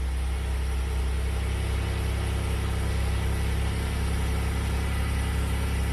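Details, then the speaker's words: Copart Pontiac Grand Prix after new valve cover gaskets and upper and lower intake gaskets, running about a minute: smooth, deep, even idle with a steady low hum and no ticking, knocking or stumble; healthy idle. "so I've had her running for a good minute and I remembered you tighten that up"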